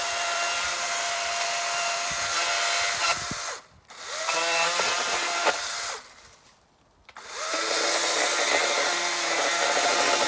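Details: Battery-powered chainsaw cutting a dry, long-fallen dead limb: a high motor whine drops and labours as each cut bites, with scraping rather than crisp chipping; the chain is dull.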